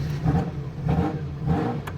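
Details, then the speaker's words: Ferrari F40 with a noisy sports exhaust, started after sitting in storage through the winter and run ahead of delivery: a deep, loud exhaust note blipped about every half second. It revs crisply, freely and healthily. "and you can already hear this this one's a lot different it's got a completely different exhaust on it"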